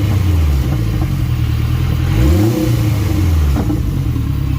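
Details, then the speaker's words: Acura RSX after fixing a stalling problem, MAP sensor still unplugged: steady deep idle with one smooth rev around two seconds in, no misses or knocks; healthy. "So yeah, so as you can see, it fires up and sounds really good."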